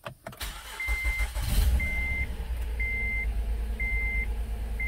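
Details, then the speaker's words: A 2014 Honda Odyssey 3.5 V6 with 83,000 miles starts cold and settles into a lumpy, shaking idle with a warning chime about once a second. Code P0303, cylinder 3 misfire, caused by oil fouling from burning oil. "yeah it's misfiring that's for sure but it's nice and cold now so i don't really have to worry about yeah you can see it shaking"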